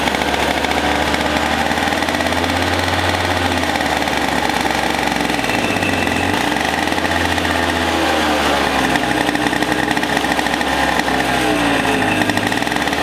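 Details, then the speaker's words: Two-stroke racing go-kart engine, displacement unknown (60, 85 or 100cc), unused for years, running after a starter rebuild and spark and fuel troubleshooting. Steady buzz dips and rises with throttle blips, no misses or knocks: normal running and revving. "hey guys so we got it running it sounds amazing"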